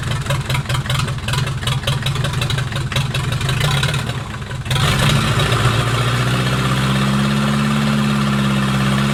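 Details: Mercedes 240D OM616 diesel, cold start in November after sitting with nasty old fuel, glow plugs heated via jumpers: steady cranking about three turns a second, catches into an even rattly idle, some smoke; healthy.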